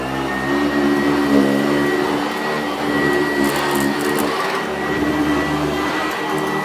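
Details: Sanitaire SC886 vacuum after refitting a metal-top motor taken from an S663, old shake-out bag kept: steady high whir with a constant hum, no rattles or pitch wander. Healthy, even motor running.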